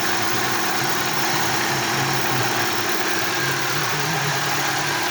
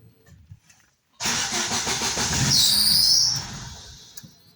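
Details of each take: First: Daewoo Lanos running on LPG after it stalled on petrol, sensor unplugged with the check-engine light on: even, steady idle with a constant hiss and no misses or knocks. Normal LPG idle. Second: Daewoo Lanos with LPG that ran yesterday but after a night in the garage starts on petrol and stalls, though it runs on gas; throttle body newly replaced. Engine catches, runs about two seconds with a thin squeal, then dies.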